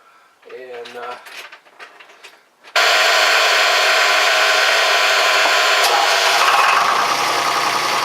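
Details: Fisher 30 sailboat diesel test-run after cooling system work (new water pump impeller, thermostat, repaired thermostat cover, unclogged exhaust elbow): fires at once and settles into an even, steady clatter with no misses or hunting; oil pressure came up right away.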